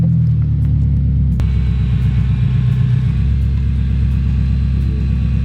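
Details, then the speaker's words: 2018 BMW M6 that sat a while with a dead battery, running after cranking: deep, even rumble with a smooth steady firing beat and no knocks or ticks; engine sounds healthy. "sounds like a beast"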